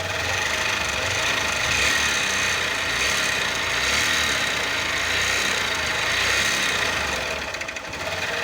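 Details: Fan 125 motorcycle engine: steady, fast metallic tapping, about three to four per second, over idle. Knock from inside the engine, suspected connecting rod or piston.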